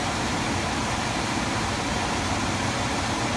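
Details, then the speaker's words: Attic HVAC furnace blower after fixing a terrible rattle heard through the return vents: steady smooth airflow and low hum, totally quiet with essentially no vibration; repaired. "We'll give it a little test. Totally quiet, essentially no vibration."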